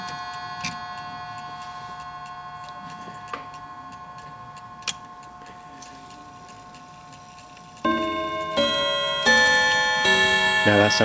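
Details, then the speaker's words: Antique Davison Bros London clock: even ticking followed by clean, evenly struck chime notes, all working properly. "a bit better so the whole thing is working perfectly fine it's ticking away as you can see"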